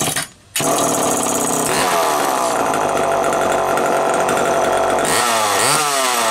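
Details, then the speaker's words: Homelite EZ Automatic chainsaw after repairs; it previously ran only briefly. Walbro HDC carburetor sorted, new air filter, new Tygon fuel hoses. Steady high-pitched two-stroke buzz holding speed evenly, with a clean rev change near the end; running well. "As you can hear, it's running pretty damn good right now. Needed an air filter."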